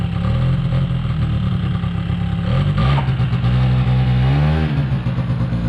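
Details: 2005 Polaris Predator 90 small two-stroke quad, long-sat: fast buzzing idle blips up then hangs high. Brake clean sprayed never raised the idle. Source of the high idle is still unknown.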